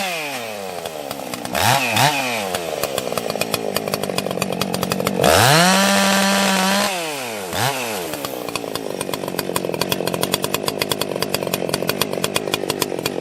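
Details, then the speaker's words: Ported 80cc vintage chainsaw (Stihl 056 or Husqvarna 281, dual coil/igniter setup) while cutting firewood: revs up and down, then idles with an irregular stutter about four times a second. Owner suspects timing or a failing coil. "now I've never heard it do that before uh that sounds like timing that sounds like timing that sounds like a coil failing or something"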